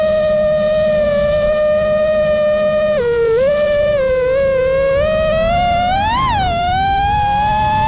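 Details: New-frame quad with new Xing 2207 2450kv motors, 5x4 V1S props, 4S 1500 battery, Bardwell F4 V1 FC, Spedix 30A BLHeli32 ESCs, Betaflight 4.1 with RPM filtering: high motor whine rising and falling with throttle over a faint constant buzz; in-flight oscillation, cause unknown.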